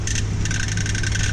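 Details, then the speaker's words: 2012-2018 Jeep Wrangler JK, 3.6L manual, at idle: steady drone with light high rattle with clutch pedal out that drops out when pedal pressed; the known JK clutch release (throwout) bearing rattle. "We're gonna pull this thing inside and see if we can figure out what is making that noise. How you doing? This is Will Beatty at Centerforce Clutches. Today we would like to talk to you about the Jeep JK inherent bearing rattle."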